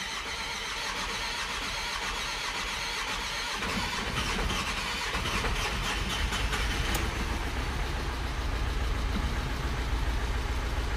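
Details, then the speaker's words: VW Amarok diesel, first start after the fuel rail was taken apart and emptied: long crank, catches roughly, misfires and stumbles, then smooths into idle; hard start from air left in the fuel rail despite bleeding. "que eu falei ó falhou falhou e foi embora primeira partida é sofrida né A primeira partida sofrida é porque a gente desmanchou todo o reio"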